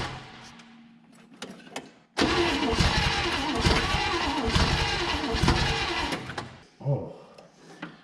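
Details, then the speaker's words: 1960 Chevrolet Impala, abandoned 38 years: the starter grinds while the engine catches and roars briefly, then dies on releasing the key; the coil gets power only via the starter solenoid while cranking, with no run feed. "the reason it was trying to fire there is while we were cranking over uh the starter solenoid sends power straight through the solenoid up to the coil but as soon as I let off the switch we lose power"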